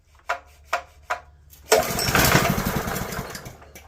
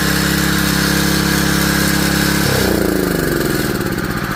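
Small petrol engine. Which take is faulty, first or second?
first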